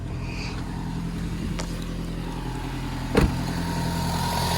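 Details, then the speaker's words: Toyota Harrier 5S-FE petrol engine just started cold at raised idle around 1500 rpm: light rapid ticking crackle, gone once warm; present 4 months, others suggested loose plastic, mechanics cannot identify it. "Когда машина прогреется, треск пропадает. Но как только заводишь на холодную, какой-то треск стоит."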